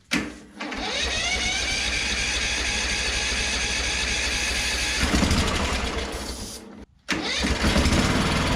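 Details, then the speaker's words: Craftsman ZTS7500 zero-turn with Kohler Courage engine, just after adjusting a very loose valve: fires, runs a steady fast even idle for about six seconds, dips briefly and catches; sounds fine, owner thinks only the carburetor may need cleaning. "sounds pretty fine to me so that makes me wonder if I just need to clean out my carburetor"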